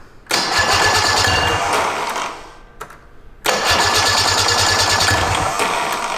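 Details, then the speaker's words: Roughly 50-year-old vintage snowmobile, sat in a barn since 2003, on electric start: starter cranks, engine catches with a brief burst of firing then dies, repeated; believed still flooded, starter seems to kick out each time it fires. "Yes. Well, the starter's kicking out, but the weight of the flywheel and everything moving and it spinning should lead into the next ignition cycle, but it's like it only"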